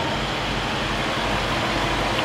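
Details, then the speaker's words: 2010 Range Rover Supercharged Autobiography, about 500 hp: smooth, quiet, even idle with no clatter or diesel-like rattle, no sign of a timing chain issue; the engine sounds healthy. "if you're familiar with these things they'll have a horrible sound to them if you've got a timing chain issue and you can hear that super quiet"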